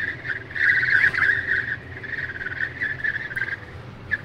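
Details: Tesla at 64–65 mph in the cabin: a steady high whistle rises and fades over the cabin hum, air leaking past the passenger window seal. Comes and goes for about 3 months, later fixed by service.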